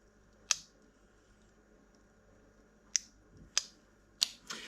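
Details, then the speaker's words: Honda ST50 motorcycle, ignition switched on: sharp, irregular clicks in a quiet room as the auto-reset fuse trips and resets, pointing to a short somewhere in the wiring loom. "we can hear it clicking in and out so somewhere there is a short"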